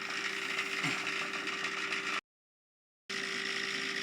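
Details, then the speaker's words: Davey D75A1 sump pump just after float switch kicks in: thin fast irregular ratchet-like rattling and vibration over light hum, pumping very slowly; owner suspects air lock or pump spinning backwards, cause unconfirmed. "Okay, the float switch has just kicked in then. There's a bit of a rattling sound going on, and I notice,"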